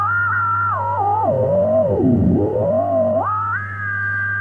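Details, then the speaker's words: Telefunken Operette 6 valve radio on shortwave, tuned to a signal-generator signal: a whistle sweeps down and up over steady hum without locking cleanly onto the station. Poor shortwave reception caused by a faulty mixer valve. "perfect son really tuning into the frequency generator but uh I don't manage to get a decent uh hit on the station so yeah that's the issue"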